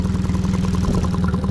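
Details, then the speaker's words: Mercury 40–60 hp FourStroke EFI outboard after refitting the original throttle body: rapid even idle with steady hum and regular IAC chirping, no hunting, no hesitation after revs; normal idle. "The IA is now chirping away like it's supposed to. The engine should run properly."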